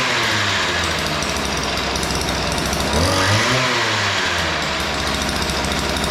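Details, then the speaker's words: Weed Eater PE550 two-stroke edger after opening both too-lean carburetor mixture screws: steady buzzy drone with a brief rev rise midway, no stumbling or missing; starts easy, runs clean, fixed. "All right. So, that sounds pretty good. The uh screws were just way out of adjustment. Uh they were both too lean."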